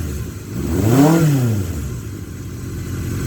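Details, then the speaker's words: 1978 Kawasaki KZ650 motorcycle, carb jetting nearly dialed in, cold and windy outdoors: blips up smoothly and drops straight back to a steady idle without hunting; great throttle response, smooth idle. "This just got great throttle response, and it idles smooth as silk."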